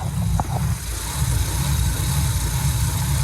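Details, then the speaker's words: Car with newly installed 92 alternator, engine idling while checking charging; faint thin constant whine over idle rumble from power steering pump; fluid not low, owner suspects revs overworking pump; charging just under 13 volts. "So power steering fluid is not down, so it's just overworking the pump because of the revs."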